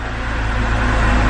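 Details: 2010 BMW X3 starting after fixing a large suspected vacuum leak behind its fuel mixture codes. The engine catches and settles into a smooth, even low rumble with no rough start or hunting, and the check engine light has gone out.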